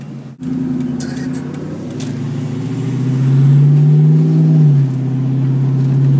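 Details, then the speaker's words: 2002 Ford Mustang GT V8 with 4R70W automatic and tuned shift points, accelerating from a stop, recorded in the car: deep, throaty low rumble from the aftermarket exhaust rising smoothly in pitch, even and unstrained; quieter than SLPs. "It's not too loud, but it's just enough to really give it that deep, throaty rumble. You know, it's not as loud as SLPs or anything."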